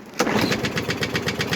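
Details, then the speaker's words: Briggs & Stratton small engine with plastic carburetor converted from primer to autochoke and cleaned, air filter off, runs rough with uneven loping popping just after first start before smoothing out; old dirty oil coming out vent hose. "so you can hear it doesn't sound very healthy when you go to first start it and once it kind of you know i mean and then finally"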